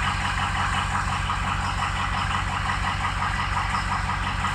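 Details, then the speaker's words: Ford Excursion diesel at idle, radiator full of stop-leak debris; slightly uneven clatter with soft, lumpy cylinders, 5, 6, 7 and slightly 3 dropping off on the test: weak injectors, full set recommended. "I'd throw a whole set in it you know look at five dropping off six dropping off number seven number three is dropped off a little bit"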